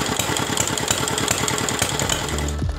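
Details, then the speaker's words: Dompeng R175 single-cylinder diesel, previously dismantled by owner, test start after reassembly with oil and water filled; uneven thumping, speed hunting; air in fuel suspected. "sobat diesel ternyata gasnya tidak rata ya"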